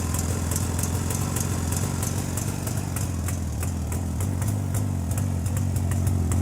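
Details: JAWA 350 two-stroke that would not start, now on a rebuilt ignition circuit replacing the cam points: soft, even idle putter rising slightly under light throttle with no misfires; ignition working.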